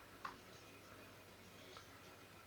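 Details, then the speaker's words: Laptop hard drive connected to a laptop. Sharp, isolated clicks come about 1.5 seconds apart as the head reaches the circular scratches and groove on the platter and cannot read beyond them. The drive is damaged and unusable. "Как видите головка доходит до той до того места где царапины и там дальше уже ничего не читает"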